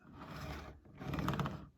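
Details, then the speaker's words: Triang Dock Shunter R.253 model locomotive with knurled wheels on test run: an uneven low rumble with rapid clicking that fades and returns; oversized flanges ride on the rail chairs, and it may need oil or a service. "Yeah, so you can hear it there. Those flanges are just a little bit too large."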